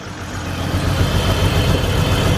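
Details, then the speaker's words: BMW E46 freshly started after repairs with new spark plugs, jumper cables from a truck: lumpy uneven low rumble at idle, not settling; runs rough, owner suspects a massive vacuum leak, unconfirmed. "Not happy. Probably have a massive vacuum leak somewhere, but she is running."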